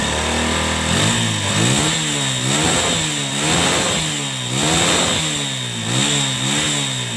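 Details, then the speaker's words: Honda Megapro motorcycle after cleaning out water and dirt and refitting the air filter box, a fix for stalling at full throttle and jerky riding: five clean throttle blips rising and falling smoothly with no stumble; engine now responsive and healthy. "Oke Mantap teman-teman kalau suaranya seperti ini buat lari Pasti enak ya tarikan juga enteng dan tenaganya juga respon"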